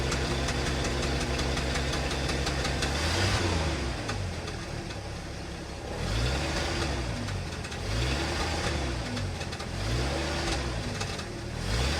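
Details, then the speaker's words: 1974 Ford F-250 Ranger SuperCab straight six after a tune-up with new spark plugs and wires: it settles into a smooth, even idle with a gentle regular pulse, no miss or knock. Normal idle. "Sounds pretty gosh darn good. That sounds pretty good. I'm gonna take it around the block and see what happens."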